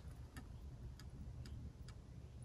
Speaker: you will begin to hear the faucet begin to make crackling sounds and leave that faucet in the full open position until you have water flow out of the faucet